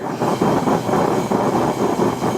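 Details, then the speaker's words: Bullseye forge propane burner while adjusting jet thumb screw relative to air intake: strong steady hissing roar puffing about twice a second as it picks up more air; normal, well-adjusted burner. "Now what it's doing is it's picking up more air. Now I can continue coming out until it softens up again."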